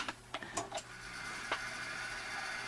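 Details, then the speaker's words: HP 8656B, first power-up to check fan noise: a few clicks then steady airy whoosh with faint hum; fan audible but not excessive, normal. "all right well we can hear it certainly uh i don't know about loud um putting out plenty of air uh i'm not i'm gonna say that's not really a problem i'm not saying it's perfect but like i said it's uh not bad"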